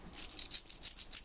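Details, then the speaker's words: Yamaha PW80 two-stroke crankshaft bearing turned by hand during restoration: gritty, rasping rattle pulsing about six times a second, unlike the quiet new bearing; old bearing rough and worn out. "and yeah kind of noisy okay so these are buggered"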